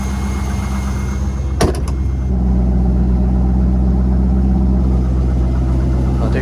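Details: Corvette C5 LS1 V8, manual, after fitting a third replacement PCM and theft-deterrent relearn: after a brief knock it settles into a steady, even idle with no misses or ticks; runs clean.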